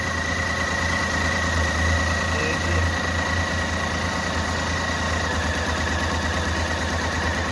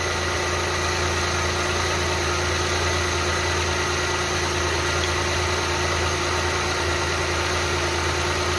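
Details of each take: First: Renault Kwid at idle: uneven, lumpy idle with irregular low thuds and a shaky beat; misfiring with cylinders not working, won't rev and stalls. The cylinder head is removed and refitted. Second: Renault Kwid that had a misfire, after cylinder head removal and reinstall: a steady, even idle with a constant hum and no shake or stumble. The engine runs smoothly.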